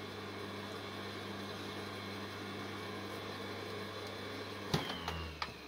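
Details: Three-phase sawing machine motor run on single phase with a capacitor between two windings, no ground connected, no internal fan: steady low hum with faint even tone and handling knocks, running fine.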